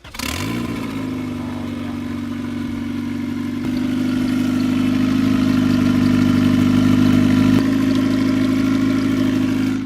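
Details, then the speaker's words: Rebuilt abandoned turbo Honda Civic, first start after two to three months of work: catches, flares briefly, then settles into smooth, steady idle with even note and no ticks; running healthy. "Oh, she is purring. That sounds sick."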